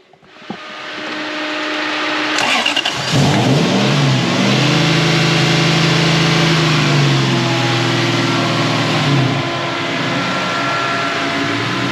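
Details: Toyota 1UZ-FE V8 in a Hilux Surf, after correcting coils wired the wrong way round: fires up, blips the revs and drops back to an even, steady idle without stumbling or misfire.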